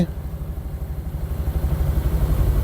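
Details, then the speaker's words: 1972 Triumph 2000 Mk2 2.0L inline-six barn find, first start after over 20 years, running on choke; lumpy, uneven low idle with stumbling beat, not firing on all six cylinders; misfire. "she doesn't firing on 6-cylinder, that's for sure. I must say, I'm over the moon. Car is running. I mean, it's not running perfect, but I don't care."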